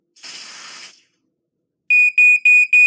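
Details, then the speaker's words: Smoke alarm tested with smoke detector tester spray: a brief hiss, then a loud, shrill beep pulsing about four times a second; both sounder and sensor work, and the tester cleared the sensing chamber quickly. "Oh, detected it, and both the sounder and the sensor are working fine, and it didn't take long for the smoke detector tester to clear out of the sensing chamber."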